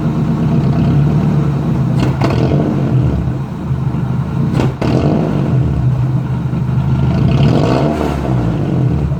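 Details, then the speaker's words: Nissan 240SX S14 with exhaust removed, vacuum leaks being fixed, MAF problem later found: open-exhaust throttle blips sag and nearly die before catching and revving, with a pop; engine bogging on throttle. "you could hear that that time now that you have the exhaust you can hear it die out then it revs it actually did like a pop there"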